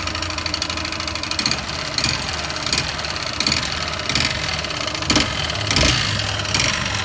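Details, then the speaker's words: Yamaha Fazer 150 single-cylinder motorcycle idling with a busy metallic clatter and heavier knocks swelling about every second, engine noise before teardown; piston slap from a scored piston. "Estamos aqui aí, pessoal, com essa Phaser 150 com esse barulho no motor."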